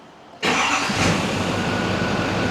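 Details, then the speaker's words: 2006 Chevy Silverado 2500HD LBZ Duramax diesel, after replacing fan clutch, AC compressor clutch/pulley and fan idler pulley: starts instantly and settles into a steady even rumble, no belt squeak or knock. "Beautiful. There's no belt squeak at all. Nothing."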